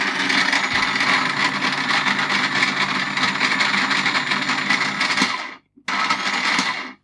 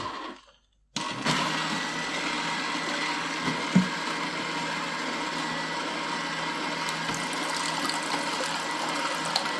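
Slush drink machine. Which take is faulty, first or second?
first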